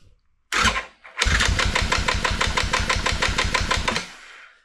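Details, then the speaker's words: Yamaha Grizzly 660 ATV after decompression mechanism modification (pin, rod, spring), new wiring harness, lithium battery and 4-gauge cables: hard first turn, then steady cranking with a sharp clack each pulse, suspected decompression pin hitting the rocker arm; not confirmed. "Sounds a little clacky, but I think that that clack is that decompression pin hitting that rocker arm is what I think it is."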